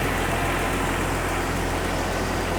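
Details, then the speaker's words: Jeep XJ before tune-up, fuel pressure checked: steady even low rumble at idle, no knocks or ticks; possibly a slight felt miss, not considered a problem. Normal idle. "you can kind of hear it sounds pretty good maybe it's I can feel it almost like a miss so but that's not likely a problem is there"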